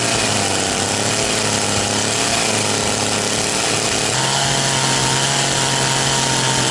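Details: Very high-hour Echo CS-670 chainsaw with an orange bar, after an ignition fix, while its high-speed tune is adjusted: screams steadily at high revs, pitch stepping up cleanly near four seconds and holding even; runs healthy.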